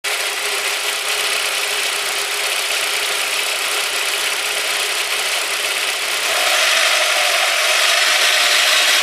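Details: Audi A4 1.8T AEB engine, 1998, 120,000 km, warm engine just above idle, 1000–2500 rpm: bright metallic squeak ticking about four per second under valve cover, sharper with revs; source unknown.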